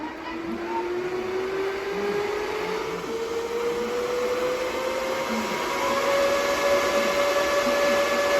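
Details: DB Werx amplifier fan on an adjustable buck voltage regulator, started at 8.23 V output and voltage being increased: smooth, steady whine climbing evenly in pitch, no ticking or rubbing; healthy fan speeding up.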